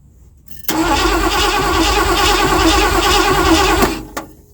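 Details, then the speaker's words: 1979 Ford F-100 that sat for years, after refitting the throttle return spring, gas in carburetor: steady cranking about three turns a second for three seconds, never catches, sounds off to owner; cranks, no start, cause unclear. "Something doesn't sound right. I can tell you that."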